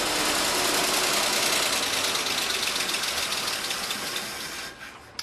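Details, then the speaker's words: 1948 Ford F-5 truck on a cold startup after rewiring, out of gear, with the fuel pump still priming the carburetor. Rapid starter churning at about four per second never catches. Fuel is suspected to still need pumping in: cranks but no start. "Well, I think it still needs to pump some fuel in, but I'm really surprised at the carburetor."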